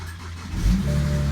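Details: 2007 BMW 335xi N54 with 135,000 miles, first start after replacing leaking original turbos, with front-mount intercooler and downpipes: short crank, then catches into a steady, even idle with no wastegate rattle. Clean start.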